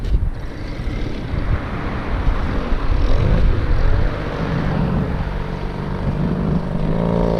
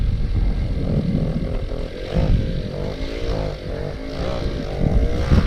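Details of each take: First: Original Go-Ped Sport two-stroke that sat for over 15 years, choke off, dirty carb: it buzzes along steadily with a low, rough drone and no misfires or cutting out; it's running properly now. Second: Stock original Go-Ped Sport two-stroke after sitting 15+ years, first start on choke, exhaust routed into the body: sputters and surges unevenly, never steady; rough running, owner suspects no compression or exhaust routing.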